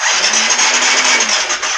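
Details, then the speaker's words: Non-running 2013 KTM 350 XCF-W: fast, even starter whirr for about two seconds with no firing; crank-no-start, timing light shows very little spark and a loose wire is found; owner suspects a ground wire. "So we're having oh, look how loose that is. We're having very little spark."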